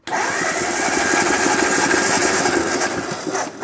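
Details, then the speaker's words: 1948 Ford 8N tractor, compression test with ignition off and throttle wide open: even cranking at about three beats a second with no firing. The re-ringed, pitted cylinder reads 95, a big improvement over before, with all cylinders between 95 and 105. "that didn't sound too good H 95 you know what that's a great improvement over what it was before"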